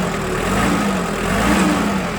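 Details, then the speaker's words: Kubota GT-5 four-cylinder diesel compact tractor with about 556 hours, soft even idle chatter with no knocks or misses; runs smoothly, healthy. "работает ровно мягко богатство четырехцилиндровый"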